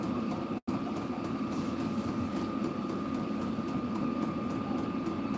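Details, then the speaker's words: Diesel air heater running normally: steady blower roar with a faint constant whine and light even ticking, which the owner attributes to it being diesel; exhaust run outside through a heat-shielded pipe. "I can hear it ticking that's cuz it's diesel that's how diesel do"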